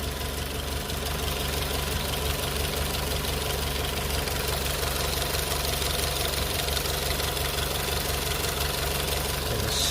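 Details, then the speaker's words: VW 1.4 TSI with fault codes P3008 and P0341, warm after a 30-mile drive, idling before timing chain work: faint light slapping rattle through the hum. It was quite rattly from cold, then settled. Timing chain slap suspected. "slight noise of the timing chain slapping it's not it's not terrible um the engine is warm"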